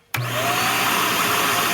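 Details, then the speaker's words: Shark MultiFlex/DuoClean vacuum, previously clogged by construction debris and cleaned, mic beside power head: motor whirs up instantly, brush roll clicks in about 1–1.5 seconds later; owner unsure if delay is normal, otherwise fixed. "the only thing that is a little funny to me there seems to be a delay or a lag when i hear the motor start up here and when the power head starts um turning"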